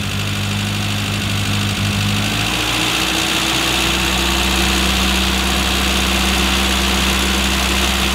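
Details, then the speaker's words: Classic Mini, low on compression, with electronic ignition being tuned for E10 petrol, idle speed set before mixture adjustment; steady idle, then pitch climbs smoothly and holds higher as the timing advance comes in. "okay so i'll just put things back together again you'll hear the rpm go up when the advance comes on"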